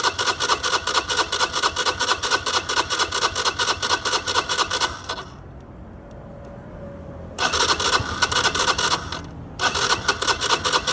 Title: Cold hard start